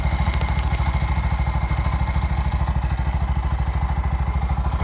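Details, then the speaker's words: Bajaj BS6 with 2 lakh km, after timing chain repair and new clutch assembly; even, steady single-cylinder thump at idle, about two hundred beats a minute, no knocking or rattle, runs smooth. "ಚಾಲು ಕರ್ ಆಗಿದೆ ಇದು fitting ಎಲ್ಲ totally start start very smooth [ಪ್ರಶಂಸೆ] ತುಂಬಾ smooth ಆಗೈತು ಗಾಡಿ"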